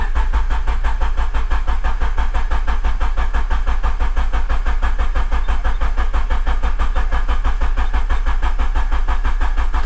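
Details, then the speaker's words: Honda K24 after an oil change, oil pan work and a Blox baffle install: cranking with the fuel pump disabled to build oil pressure before starting, an even starter rhythm about three pulses a second for ten seconds, never firing; normal cranking without start. "so I'm just going to give it a crank and try and get that oil pressure light to go off before I start the car, just because of all the stuff we've done underneath."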